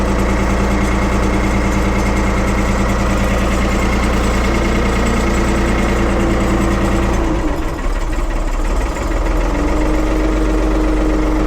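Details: 1975 Ford 550 backhoe diesel, cold start in neutral after repair and refilling with oil: loud, steady diesel clatter at idle, even and strong, with a brief dip in speed midway; a healthy cold-start idle.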